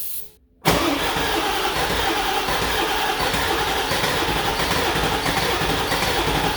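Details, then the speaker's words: Ford 7.3 Powerstroke diesel cranking with key off to check compression, after an engine-bay fire; has long had a slight skip: steady even churn that never catches; cranks without starting, low oil pressure and metal in oil suspected. "Let's just see if she'll turn over. I don't have the key on or anything. I just want to see if it has compression. It's got a bit of a skip, but to be honest, it's always had that."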